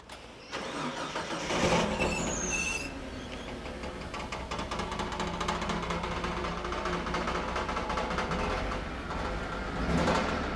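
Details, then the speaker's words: XG Ford Falcon ute with a replacement used engine and gearbox, first start: uneven metallic tapping over the idle after it catches; the exhaust or something else hitting. "it's definitely the exhaust or something's hitting need some work but we'll figure it out"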